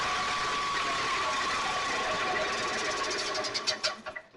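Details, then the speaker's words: 1987 E-Z Go golf cart, 2-cycle engine bought running rough, cold start not yet warmed up: busy raspy two-stroke buzz with steady high tone, then sputtering bursts; owner says it runs a little lean, sounds like an old Ski-Doo Rotax. "It is running a little bit lean, or so when I started it, but it hasn't been warmed up yet. But it reminds me of a old Skidoo Rotax engine. That's what it sounds like. It's 2-cycle."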